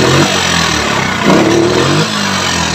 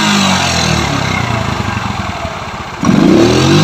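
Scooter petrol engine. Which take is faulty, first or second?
first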